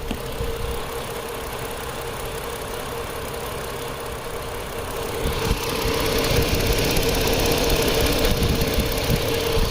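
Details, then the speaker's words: 2010 Chrysler Sebring convertible 2.7L that started but ran rough: lumpy idle with a regular stumble about four times a second; scanner shows cylinder 2 dead with no injector pulse width, not the crank sensor, connector suspected. "see that cylinder two is dead I don't know if you guys can see that yeah there you go cylinder two nothing on the milliseconds so that's our misfiring cylinder"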